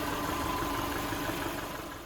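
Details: 2011 Subaru Impreza, rebuilt EJ253 non-AVLS block with AVLS heads after rod bearing failure, running after rebuild: steady, even idle with smooth hum, no knock or tick, before shutting off. Normal idle.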